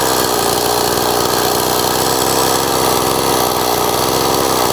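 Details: Old STIHL 026 chainsaw, hot after test cutting with bar and chain, runs at a steady high buzz with a ragged edge and abnormal noises; worse when hot, compression not great, also leaks bar oil.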